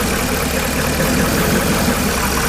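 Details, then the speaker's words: Truck after hitting a deep puddle, air filter dry but clogged: idles rough and lumpy under hiss of brake cleaner sprayed on vacuum lines to find a leak; scanner reports cylinder 8 injector failure; rough idle. "Well, spraying brake cleaner on the vacuum lines to see if I'll get a change in idle."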